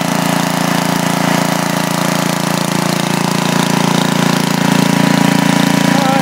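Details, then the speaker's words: 10 HP Briggs & Stratton engine on a 5000 W Coleman generator, just rebuilt for smoking: started right away, even, steady single-cylinder beat with no knocks, misses or surging; no smoke beyond assembly oil. "seems to be doing pretty good tubes started right up wasn't blowing any smoke other than the oil we put in the the cylinder for Lube"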